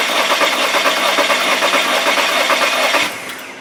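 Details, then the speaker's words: 2015 VW Tiguan 2.0T GDI with flashing check engine light, P0304 cylinder 4 misfire, new plugs and coil: cranking at about two beats per second turns lopsided as one stroke loses its push; the cylinder lost compression. "on missing hump again so we lost compression already"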